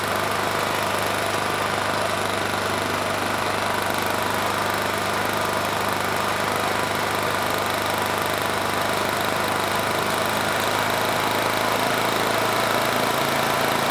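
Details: Rebuilt Honda GX390 clone 389cc single-cylinder from Generac GP6500 generator, hemi head swapped to standard after dropped valve, governor tension reduced: steady, even run at slightly slow held speed, no knocks or misses; running fine.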